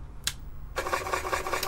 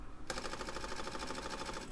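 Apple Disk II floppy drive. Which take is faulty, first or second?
first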